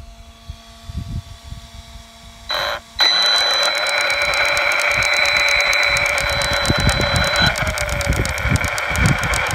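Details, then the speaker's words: Losi Lasernut U4 RC truck: persistent drivetrain clicking, faint when new and getting louder, not from the wheel bearings. Sharp regular clicks about four a second over motor whine; loose ring and pinion mesh in the front differential. "What we have is a persistent clicking that seems to be coming from the drivetrain. It was very faint when the vehicle was new, but it seems to be getting louder,"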